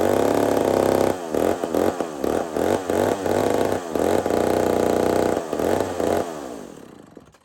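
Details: Old McCulloch 440 chainsaw with carburetor issues; it keeps filling up full of fuel, and the owner may fit a different carburetor. Revs surge and sag in uneven bursts about three times a second, then it dies; runs rough and won't hold speed.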